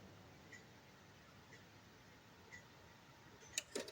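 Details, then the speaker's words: Seiko Japanese 30-day wall clock, hands turned slowly toward 7:30: faint ticking about once a second, then a sharp double click as the warning lever sets up the strike; a normal strike warning. "Nah, itu bunyi, guys ya. Harusnya itu tadi bunyi tuh. Jadi bunyi cekrek gitu ya. Itu namanya persiapan, guys ya."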